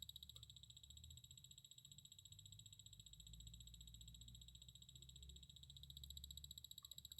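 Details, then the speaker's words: Orthofix Physio-Stim Lite 314L bone stimulator after repair (new fuse soldered over the broken one), its output picked up by an amplifier: high, steady buzzing pulsing about three to four times a second, indicating alternating current; output working normally. "yep it sounds like there's alternating current all right so this is the physiost input all back together so let's test it yep it's definitely the physio stem making that noise"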